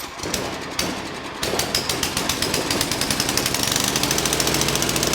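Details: Craftsman 9 hp 28-inch snow thrower, Tecumseh engine, primed, choke off, throttle set to half speed: climbs to a fast, hard-pulsing full-speed roar and stays there, over-revving and will not idle.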